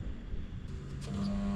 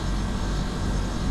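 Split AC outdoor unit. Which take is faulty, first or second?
first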